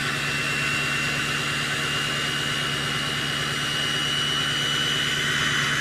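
Even diesel rumble at raised idle with a clear, steady high whistle from the turbo; it sounds healthy.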